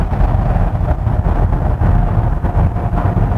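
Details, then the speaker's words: New full-change Hyundai Palisade Calligraphy 2.5 turbo petrol, cabin at steady 80 km/h cruise: low, soft road and engine hum with little wind noise; normal quiet cabin. "Sekarang, dengan membahas NVH, mari kita periksa tingkat kebisingan di dalam kabin. Saat ini kecepatannya adalah 80 km/jam."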